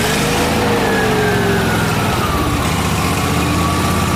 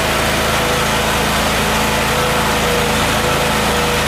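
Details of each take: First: Miller Trailblazer welder engine with a reportedly rebuilt carburetor and a crankcase-vacuum-operated fuel pump: speed hunts up and down with no steady idle. It runs lean, fine when choked; a vacuum leak or fuel delivery issue is suspected, and a vacuum line was found detached. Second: Miller Trailblazer welder petrol engine after retrofitting an electric 12 V fuel pump in place of the faulty vacuum-operated pump, restart check: runs at steady, even speed with no misfire or surging; normal running.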